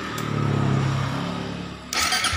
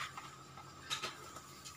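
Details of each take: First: Suzuki GSX fuel-injected motorcycle that would not start, weak starter relay ground signal from ECU, bridged with a jumper wire to the body: starter spins up with falling whine for over a second, engine catches and runs; starter motor cranking normally. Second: Suzuki GSX that won't start: starter relay gives a couple of sharp clicks but the starter motor doesn't crank; the relay ground signal comes from the ECU via the 12 V starter button and is weak; new relay being tried.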